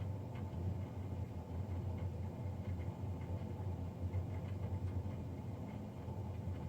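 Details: Navien NCB-240 boiler recorded Feb 3, 2020, three days after a Jan 31 service: steady low droning roar with faint whir on top, constant throughout; combustion fan loud, cause not evident.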